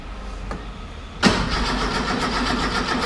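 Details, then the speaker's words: Car running for the first time after the spark plug leads were rewired: it catches abruptly and runs ragged, firing pulses stumbling about three per second, with the ignition timing far out, set on cylinder 4 instead of 1. "It's way out. Okay. It's way out."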